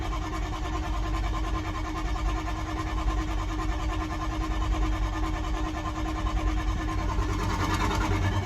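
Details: 6.0 diesel crank no start: steady starter drone with slow, uneven cranking pulses that never catch and build into a run; turning over without firing.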